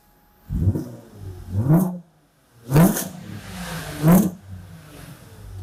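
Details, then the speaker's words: Cold Audi V6 at about 13°C just after a fuel pump replacement following E85 conversion; engine blipped several times, each rev climbs quickly and falls back cleanly with no misses or rattles; sounds healthy. "ça monte vite"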